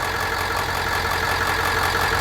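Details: Bus with a newly installed Jasper remanufactured engine, air filter box not yet fitted; steady, even idle with a smooth low rumble and no knocks or misses, and no dash warning lights: the fresh engine runs cleanly.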